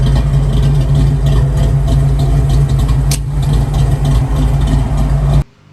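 Choppy, loping V8 idle with an uneven beat that rocks back and forth; that lope comes from a big aggressive cam, not stock.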